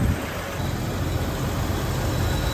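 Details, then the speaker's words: Jeep Wrangler TJ after cylinder head, lifter and valve train reinstall following a blown head gasket, warming up: smooth even idle, steady low rumble, no ticking or knocking; holding temperature, not overheating, assembly oil burning off the exhaust. "It's holding temperature, it's not overheating, that's a good sign."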